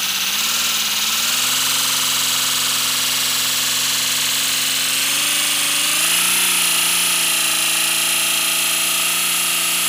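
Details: First-build 3D-printed PLA V12 model engine on compressed air, freshly lubricated, no exhaust port yet: fast, even chuffing with a steady buzz climbing in pitch as more air pressure goes in; running smoothly.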